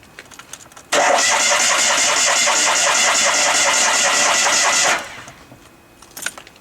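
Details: Fiat 126 started on a cold December morning after long storage; about four seconds of steady, even starter cranking without catching, then stops; cranks, no start.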